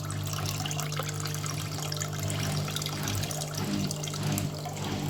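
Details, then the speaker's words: Scrap washing machine during rinse/drain cycle, after lime scale was cleared: low steady drone with faint pulsing swell under draining water; owner assumes the pump, not confirmed. "That's the noise, that was the noise it was making. I'm assuming that was the pump."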